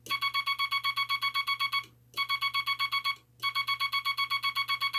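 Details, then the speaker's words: Vibroplex bug with the dot stabilizer wire removed from the dot contact spring, dot contact readjusted: three strings of rapid dots, about seven a second, in a buzzy tone; mushy, scratchy sound from the dot contacts sliding and bouncing. "But there's kind of a mushy sound, kind of a scratchy."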